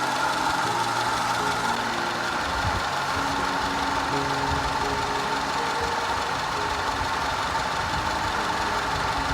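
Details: 2010 Audi A5 Cabriolet 2.0 TFSI petrol idling unevenly with irregular low thumps and stumbles: random misfire and constant cylinder 4 misfire, codes P0300, P0304, P130A, later fixed.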